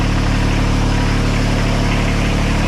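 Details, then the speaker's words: 2006 Kubota BX24 tractor loader backhoe with over 3,000 hours, just after a transmission input shaft leak repair, idling before warm-up: steady, deep diesel chug with no knocks or misses, no leaks yet; normal diesel idle. "so we're running at idle right now these bxs do not make a lot of hydraulic flow at idle"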